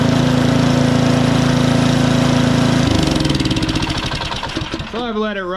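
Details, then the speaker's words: Powersmart DB7651 24-inch snow blower with LCT engine after carburetor replacement for a no-start, still burning off excess fuel: a small single-cylinder engine at a steady, regular rapid beat; running properly again. "things back to running great everything's working how it's supposed to"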